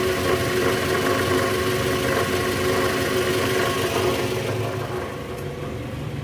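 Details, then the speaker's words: 2010 Toyota Vellfire, 2AZ-FE 2.4L, 100,000 km, cold morning start, idling in reverse with brake held: rough rattle from the lower engine, about four beats a second, indicating a worn or broken balancer shaft. "ya bunyinya jelas banget bunyi gitu di bagian mesin Nah itu indikasi balancer shaft-nya udah oblak atau hancur nih guys karena kilometer juga udah tinggi udah 100.000 mobil tahun 2010"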